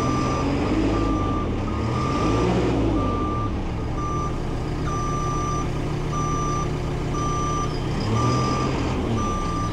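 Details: Telehandler reversing after being uprighted from lying on its side, with steady high beeps about twice a second over diesel rumble. The backup alarm sounds normally.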